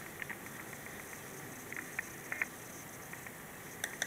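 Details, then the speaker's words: Dell Precision M3800 laptop on AC power during a File Explorer search: quiet hum with scattered sharp crackles and pops in bursts as the SSD is accessed, stopping when access stops; static vanishes when unplugged, source unidentified. "Here, files being accessed. The hard drive is making a noise. And now it isn't."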